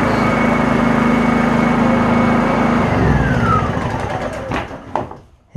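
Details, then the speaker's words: Honda EU2000 inverter generator after the over-drilled carburetor jet was reworked and its hole opened up: even, steady drone with a low hum and no hunting, then it fades; running much better, though it may have a few other issues. "definitely running a lot better it's probably got a few more issues but you know that ain't the point of the video"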